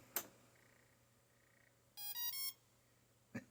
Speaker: That ESC just beeped when I turned on the power supply.